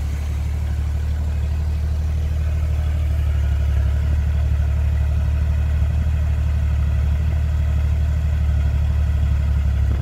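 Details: Restored 1981 Jeep CJ-8 Scrambler, carbureted (no fuel injection), fires first try: steady, even low idle rumble with no knocks, misses or rough patches; running smoothly.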